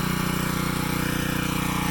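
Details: CAT pressure washer pump after rebuild, system primed with water, fired up outside: fast, even pulsing drone at constant speed with no knocks or misses; normal running.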